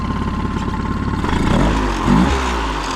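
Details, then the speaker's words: 2008 Honda 20hp four-stroke tiller outboard, restored after seizure, mixture screw leaned: steady even idle with a brief blip settling right back; mixture well set. "So it just needed like to be a little bit leaner. So just turning it counterclockwise. Think about got that sweet spot for it."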